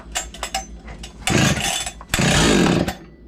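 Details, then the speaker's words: Husqvarna 61 chainsaw, about 30 years old, with new clutch fitted, started after long storage: it idles with a loose, uneven rattle, then revs hard twice; worn piston suspected as the rattle source. "you guys hear that rattle i think i mentioned it earlier in the video but if not this piston makes a lot of noise"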